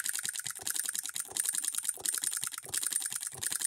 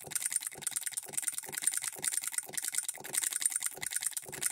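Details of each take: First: Hand-built Coilmotorworks solenoid hit-and-miss model engine, voltage raised back up, with a load held against it: quick regular clicking at a steady rhythm, firing every stroke with no skipped beats; considerably powerful for its size. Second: Hand-built Coilmotorworks solenoid hit-and-miss model engine, supply voltage dropped toward half its rated voltage: sharp light clicks about two a second with uneven gaps, some in pairs; solenoid double-fires to throw the governor balls out.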